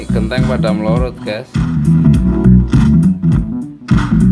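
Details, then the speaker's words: Politron active speaker after replacing one blown TIP41 transistor that caused cracked, distorted sound: music plays with full, clean bass and clear guitar, no crackle, buzz or break-up at volume; amplifier working normally. "Iramanya, iramanya sudah normal sekarang, iramanya. Wow, itu keren sekali, teman-teman. Sekarang ini sudah normal, teman-teman. Hanya mengganti satu transistor."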